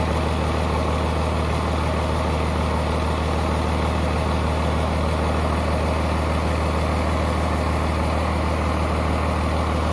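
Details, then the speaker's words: High-mileage 12-valve Cummins from a 1994 Dodge 2500 with a P-pump, idling after a basic valve lash set (intake 0.010 in, exhaust 0.020 in). Steady, even diesel clatter with no stray knocks or ticks: normal idle. "all I did was did a basic valve set and now it sounds phenomenal the engine"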